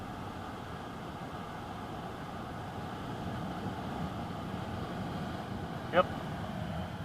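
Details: BMW F01/F02 (2008-2015) ventilation blower after replacing the deteriorated mesh filter cover that let debris unbalance the fan; steady, smooth fan whoosh with no rattle, chirp or wobble; blower running quiet and even.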